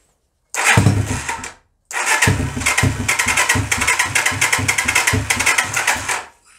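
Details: 125cc Sinnis Heist hardtail chopper being rescued, first start attempts on choke; fires a second and dies, then catches with ragged uneven pops before stalling; hard starting, won't keep running, float height later adjusted.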